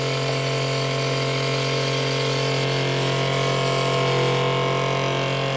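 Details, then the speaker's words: Sailboat Spectra watermaker after a new high-pressure pump was fitted, freshwater flush while purging air through the pressure relief valve: steady, even electric hum at constant pitch, no knocking or surging; air is getting out, with a small drip to fix. Normal running. "sounds like the air is getting out of it we got a drip there see we got a drip so we need to fix that"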